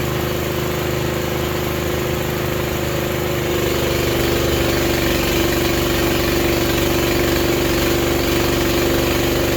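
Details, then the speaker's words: Honda GX240 engine on a manlift after replacing its very loud muffler, now about half as loud, as the lift is raised under load: a steady, even drone settles slightly lower, with no rasp or blowing from the exhaust; normal running. "so I unhooked the front arm the pin there I'll do the back one and then we'll raise this up put it under load and see if it sounds better"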